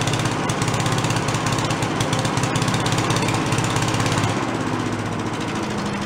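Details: Giant Vac walk-behind leaf blower, probably late-70s/early-80s, primed, first run: fast even two-stroke buzz at full throttle with steady firing, no misses or surging; carb lacks an idle circuit, so it can't idle.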